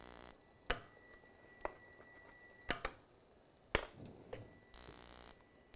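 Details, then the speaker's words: Gas furnace intermittent pilot ignition, where the spark ignitor doubles as the flame rod: sharp, irregular snapping ticks about once a second; the module cannot prove flame without a burner ground, so it keeps sparking and won't open the main gas valve. "if you do not have that then this pilot ignition gas valve you're just going to hear it continue to just trying to ignite the pilot even if it is already uh lit it's not able to prove that there's a flame that's the problem"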